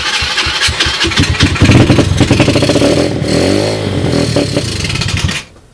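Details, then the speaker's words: 2007 SSR Monster 125cc pit bike with a rebuilt carburetor (float issues remain) and a portable 12V GY6 CDI for spark, started on ether: rough pops settle into a revving run, then it shuts off. No bad sounds and no smoke. "thank you it runs I don't hear any bad sounds"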